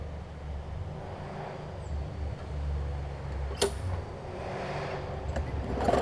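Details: Newer Murray push mower just after new carb diaphragms: low, slow, even putter with no misses; runs fine but slow, owner thinks the throttle spring (a bit too long) needs working out.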